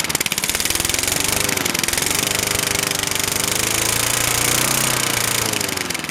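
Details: Craftsman 21-inch lawn mower, 4–6 hp Tecumseh engine, unstarted for 12 years and stored outside: rapid, slightly uneven single-cylinder pop-pop with rattly hiss on top, exhaust spitting probable rust; running on its own, normal running.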